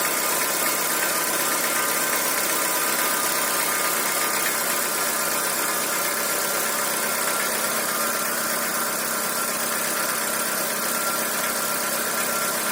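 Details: Chevrolet Corsa at idle: a light, uneven ticking about two to three times a second over a hissy top end. The owner asks what the engine noise could be; the cause is unknown.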